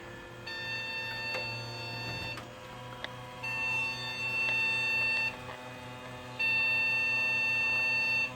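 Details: Motherboard just moved into a Gateway G6-350 chassis and working before the move: steady high-pitched beeps in long unbroken stretches from power-on; continuous alarm, owner suspects a bad fan or memory issue.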